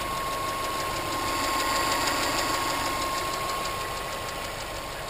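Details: 2006 Subaru Impreza WRX, EJ255 boxer, idling: light regular tick about four a second from the driver side, same cold or warm, caused by a bent intake valve not closing properly; fixed by replacing both valves, belts and bearing.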